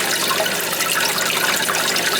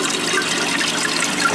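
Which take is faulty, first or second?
first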